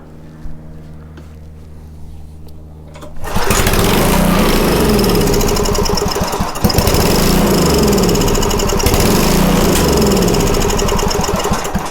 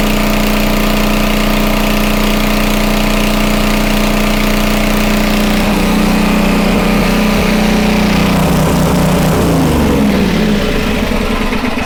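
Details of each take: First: Homelite 2500 W generator that would not start: the engine catches and runs steadily for about nine seconds, then winds down and quits; the fuel pump is not filling the container, because the pump is not feeding fuel. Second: Homelite 2500 W flathead generator after repair of a stuck valve: steady drone at an even pitch for about ten seconds, governor holding about 60 Hz (59.9), then winding down to a stop. Normal running.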